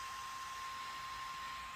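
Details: DJI Mavic Air powered on during activation before its first flight, body already warm: soft, steady airy whir with a thin constant tone and no pulsing or scraping; internal cooling fan running normally.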